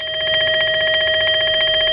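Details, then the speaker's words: Transistor checker on a known-good NPN transistor pulled from a fish telephone: steady high-pitched buzzing tone with fast even flutter, unchanging; needle barely moves in either mode, within limits, so the transistor is good. "that's a good well it shows it's an npn and when I hit this check on it to put a little current on the transistor my needle does not move much"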